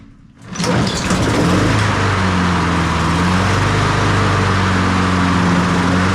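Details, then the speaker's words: Honda HRN216VKAA push mower after drive belt replacement: the small engine catches within a second and settles into a steady, even drone with no misses, knocks or rattles. The drive pulls strong without any cable adjustment; normal running. "I don't have to adjust it at all. That thing's pulling good. Pulls nice and strong."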